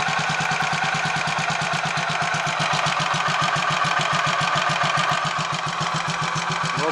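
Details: Royal Enfield 500 Machismo electric-start single, warm, after fix of starter noise caused by a small oil-holed spindle fitted the wrong way round, 20W-50 oil in sprag area: even thump around three and a half beats a second, no stray ticking; normal idle.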